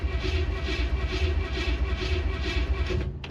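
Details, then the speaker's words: 1967 Chevy Impala small-block V8, pedal pumped before cranking; it needed heavy pedal bumping to fire last time: slow, uneven cranking with low thumps about once a second as it tries to catch; hard starting, cause not stated. "Come on. Did you sabotage me? Maybe. But I had to bump the hell out of it to get it to fire last time."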